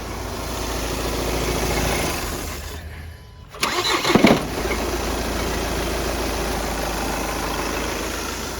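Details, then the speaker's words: VW Passat with six-speed DSG transmission: engine cranks, catches, then an uneven rattling "ghad ghad" knock with heavy vibration at idle, from a worn flywheel; flywheel to be replaced. "इसमें एक आवाज आ रही है घड़ घड़ घड़ घड़ की आवाज आ रही है वो इसके फ्राई व्हील की आवाज है आप हम आपको बताते हैं अ इसके फ्राई व्हील की जो आवाज है जो उसकी नॉकिंग है इंजन बहुत वाइब्रेट कर रहा है"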